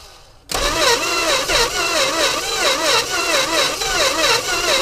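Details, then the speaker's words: 1963 Dodge 330, unstarted for about 25 years, cylinders pre-lubed, on a borrowed Durango battery plus starting fluid: starter churns unevenly at about 1.5 beats per second, catching briefly and sputtering without firing. "oh no way turn over it was a little starting fluid it's going it is moving"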